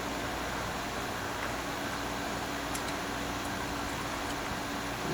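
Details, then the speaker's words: GE Profile air conditioner, a curb find that now works (plug had apparently come off): compressor running, steady airy fan rush over a constant low compressor hum, no rattles, air cooling to about 69–70°F; normal running. "Compressor just turned on. Maybe it takes a few minutes for in case you restart it or something. Is it getting cold? It's getting cold."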